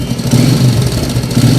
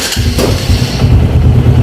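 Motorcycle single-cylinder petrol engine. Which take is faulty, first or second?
first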